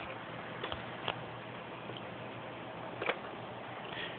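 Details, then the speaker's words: Fisher CA-283 amplifier after sanding the output relay contacts and bending the prongs: a couple of sharp, isolated clicks as the relay pulls in at switch-on, normal for a working amp. "but when soon you turn it on if you hear that thing clicking you know you'll hear it click that means she's right"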